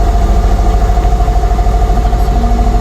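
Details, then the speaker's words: 2015 Kia Picanto manual, after troubleshooting a crank-but-no-start: engine now runs with a steady, even low rumble and regular pulse, no misses or knocks; normal idle. "Tapos na mga sir. Umandar na."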